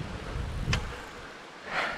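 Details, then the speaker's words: Cube road bike, rear wheel forced against the frame with strong frame flex: a sharp single click from the rear dropout. It recurs with changes in force; thru-axle rules out disc-to-pad contact. "Ja to słyszałem przeginając względem ramy koło to może być coś dla kole o tego dźwięku szukałem może złapię tu za ramę ten dźwięk mocne przegięcie ramy tu"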